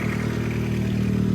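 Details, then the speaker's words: Nissan Sentra Spec V, cold start, one cylinder suspected low on compression: steady four-cylinder idle with light metallic clatter from the OEM cam phaser gear, rpm dropping with each rattle; locking pin fails to hold phaser advanced, letting it fluctuate to retard. "Listen to the little rattling. It's coming from the phaser gear. Hear it? Every time it rattles, every time it goes that it rattles, the RPMs drop."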